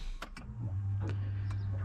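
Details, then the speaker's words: Subaru Impreza that sat a while and wouldn't start, battery freshly charged: a few clicks, then a steady low hum holds for over a second with ignition on as the fuel pump primes, sucking fuel. "hear it sucking fuel yes just like that it's alive"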